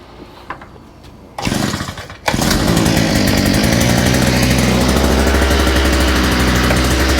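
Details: Small engine with a new carburetor, after correcting reversed fuel pickups and removing a kink in the fuel line, catches after a couple of pulls and holds a strong, steady, even buzz without stumbling; normal running.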